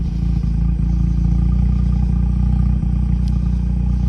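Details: 2004 Mazda RX8 rotary, warmed up after sitting two years, muffler in two pieces: a loud, even low-pitched idle with a fast steady burble and no knocks or misses. Periodic revs produce some oil-smelling smoke.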